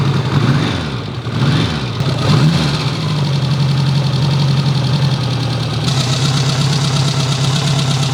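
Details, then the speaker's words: Restored 1954 Ariel Square 4 motorcycle, cold start: fires after a few rough catches, then settles into a steady, even low idle with a soft lumpy beat; engine healthy, normal cold start and idle. "I did record the cold startup, so enjoy me starting up the machine. Pops over nicely, but you really gotta spend your time with it."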